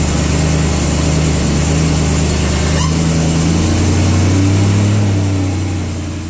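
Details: BMW E92 M3 after replacing front pulleys and accessory belts to fix a squealing pulley: idles and revs smoothly with an even tone and no squeal or chirp from belts; sounds healthy.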